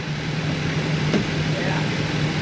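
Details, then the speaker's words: 1999 Formula 280 Sun Sport, new MerCruiser 4.3L Vortec port engine: slow, lazy, low idle just under 500 rpm against a 650 target. It holds steady, but low idle is suspected of stalling the engine when shifting in and out of gear. "So, we're a little low, guys. You'll see we're just under 500. We want to be at about 650. I think that's what's killing it when we're shifting in and out of gear."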